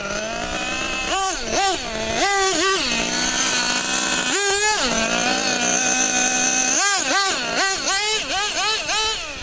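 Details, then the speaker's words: 2014 Losi XXL-2 1/8 truck with a Dynamite 31 gas two-stroke, first runs after minor low-speed carb tuning: the engine blips sharply up and back cleanly and pulls freely to high revs with no stumble; normal running. "Well, it's getting a lot of that good speed now, [Music] huh?"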